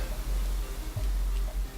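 Light, faint ticks repeat a few times a second over soft handling rumble as the reel turns; the click remains, cause unknown.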